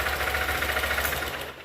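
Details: Honda XRE190 single-cylinder idling with a rapid even clatter from below; wrong smaller middle gasket (from Fan/Titan 160) fitted, piston may have struck it, mechanic suspects damaged lower bearing/connecting rod knock, engine to be opened.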